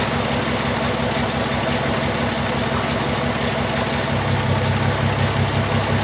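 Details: 2002 VW Jetta VR6 at idle after injector replacement, still misfiring with a cylinder 1 injector circuit fault and a cam sensor code: an uneven, loping pulse about three beats a second that stumbles; dead injector suspected.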